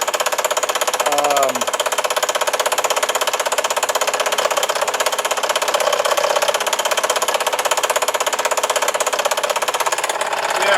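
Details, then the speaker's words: Scroll saw cutting with a fast, even, dry clatter and a hard tick each stroke. It is making that noise again despite oil all over; more oil is being added, so lubrication is suspected but not confirmed. "it making that noise again and i see oil all over the place but i'll put a little bit more on there"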